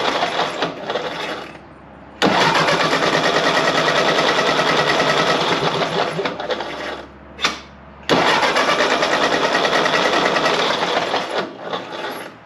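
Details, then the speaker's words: 1948 Ford 8N tractor after tune-up: steady cranking about three beats a second in two long bursts, never firing; no start. "So when I put one of the old spark plug wires on and it still didn't start up, or at least start and miss, I knew it probably wasn't the spark plug wires."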